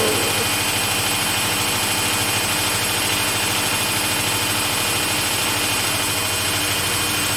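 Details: Samsung front-load washing machine on a cotton wash cycle, spinning; a steady, even roar with a low hum and a quick regular thrum from the drum; normal high-speed spin.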